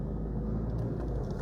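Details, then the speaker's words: 2004 Proton Satria LXi 1.5 petrol engine, warm after a couple of minutes running: lumpy, uneven stumbling idle, badly misfiring, likely behind the engine management light; cause not yet diagnosed. "You can hear that it's starting to have a little bit of an engine problem. Starting to misfire."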